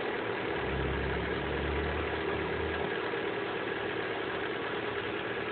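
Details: Honda Prelude at idle: faint light ticking, roughly three per second, riding on the engine hum; cause unknown.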